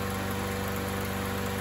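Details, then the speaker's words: MTD 21-inch push mower, 140cc single-cylinder engine, revived after sitting a couple of years, air filter not yet cleaned or oil changed; after carb spray priming it holds a steady, even buzz with no misses, surging or knocks; running normally. "sounds like she's running good to me"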